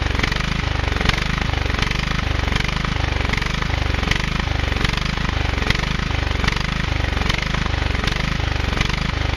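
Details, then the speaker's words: Husqvarna YTH 150 riding mower (AYP frame), cranked with starter fluid: the small engine suddenly runs at a slow, uneven thump. A clogged carburetor is suspected. "hi so the key thing that you couldn't see on that little clip of video was that all of a sudden it started running right"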